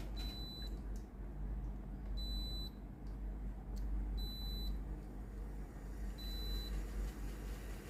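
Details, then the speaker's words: Philips GC7703 steam iron after water pump replacement, calc-clean started by holding the button 5 s: steady low pump buzz under beeps every two seconds, with water coming out at the soleplate; pump working normally. "ได้ยินเสียงปั๊มสูบน้ำมนะครับ[เพลง]Kหน้าตาเริ่มมีน้ำออกมาแล้วนะ"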